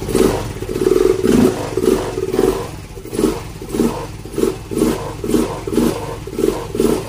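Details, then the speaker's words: Yamaha Mio M3 scooter, idle for a year, after new injector and fuel filter: engine revs in rhythmic bursts about once a second but dies when the throttle is released, no idle; dirty throttle body. "binitawan ko diretso patay na siya."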